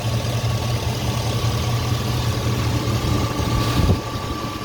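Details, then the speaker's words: 2007 Silverado 2500HD 6.0 at idle after the power steering pump and pressure line were replaced and the system and hydroboost were bled: only a faint smooth pump hum, and the earlier hammering and groaning are gone; normal. "fire steering palm looking good no leaks underneath everything sounds copacetic the hammering groaning is gone"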